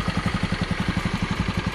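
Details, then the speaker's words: Honda Beat scooter idling after piston replaced for oil burning and white smoke: steady, even single-cylinder putter, no knocks or rattles, no more leaks; normal idle. "Oke, jadi mesinnya ini masih enak juga kita dengar, dan mantap juga. Dan tidak bocor lagi."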